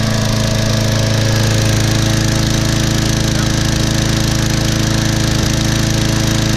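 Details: Sears Craftsman mower, Briggs & Stratton 6.75 gross torque 190cc engine, after replacing suspected thin 0W-20 oil with HD30: steady, even single-cylinder drone with no misses or surging, some oil smoke from muffler; repaired, running well.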